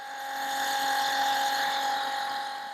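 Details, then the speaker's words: Portable Flojet RV waste pump draining grey water through a garden hose: a thin, steady electric whine at one pitch with no water gurgle. The tank appears empty and the pump is running against the vacuum it created in the line. "You know, the pump has created the vacuum."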